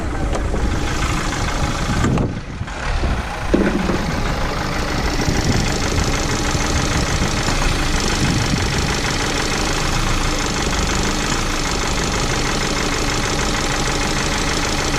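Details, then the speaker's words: Recent Renault Master diesel van in limp mode, won't exceed about 12 mph, engine light on, smoking turbo passing oil: rough idle with uneven clatter and intermittent knock; mechanic suspects valve problem, unconfirmed. "Summit does not sound good with this it's knocking some's knocking engine management lights gone out though"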